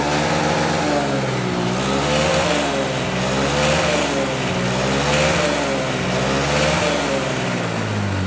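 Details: 2021 Honda Beat scooter, CVT previously sounding rough, after reassembly with aftermarket parts: idles then revs up and down smoothly, pitch following throttle, no rattle or grinding; normal CVT operation.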